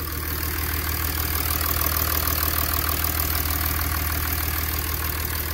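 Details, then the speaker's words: 2006 Mercedes CLK 320 3.0 V6 diesel (OM642) after repair for limp mode fault 2513-1, no faults, no leaks: low even idle with steady beat, no knocks or misses; idling cleanly. "Alright, it's all good. Alright, so no faults to report. Fantastic. Now just idling nicely now."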